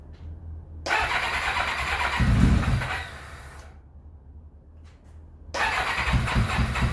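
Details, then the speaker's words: 1991 Kawasaki ZXR750 twin-turbo build: catches after brief crank, runs ragged and uneven, dies, restarts just as rough; plugs came out super black, running rich; rich misfire from incorrectly set crank trigger. "Ripped the plugs out cuz it still sounded horrible. Super black. She's rich as."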